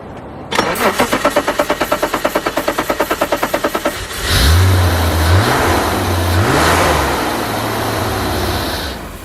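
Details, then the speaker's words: Abandoned E34 BMW 535i, first start after sitting 12 years: several seconds of steady cranking, then fires and revs unevenly on starting fluid sprayed down the intake; fueling issue suspected, failed fuel pump. "Oh, almost. So there you go guys, she fired right up with a bit of starting fluid. Leads me to believe we've got a fueling issue here"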